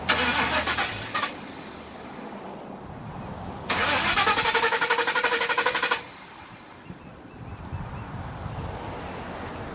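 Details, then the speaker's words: Car after idle air control valve replacement, shut off and now won't restart: starter cranks in fast even chatter twice without catching. Scan tool reads too lean, likely bank 1; owner suspects a bank 1 exhaust leak confusing the O2 sensor. "Now it doesn't want to turn on, guys. And I stuck my computer in there, and it told me that it's running too lean."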